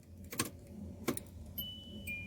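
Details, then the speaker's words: SsangYong Rexton RX6 central locking after replacing a door lock actuator whose motor had been making a noise: two crisp, clean lock clicks with no buzzing, grinding or rattle afterward. The door lock works normally. "है कोई आवाज़ नहीं है आवाज़ हमारी problem solve हो गई है कोई आवाज़ नहीं ए रही है"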